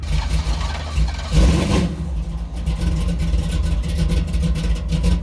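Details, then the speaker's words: 1983 Chevy C10 square body small-block V8, sizeable cam, no-choke carburetor, tune not for easy starts: cold engine catches after a short burst, then lopes and stumbles at idle; hard cold start. "it takes forever square buddy doesn't have a choke and it's got a pretty good sized cam and it's the tune it's not really meant for you know easy starts"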